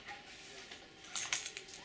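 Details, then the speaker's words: Online College Fashion fountain pen: ink converter rattles loose in the barrel even when seated securely, giving light tinny clicks when shaken; loose converter rattle. "converter can come out in this case has come out but even if it is in there securely you hear that rattle around a bit"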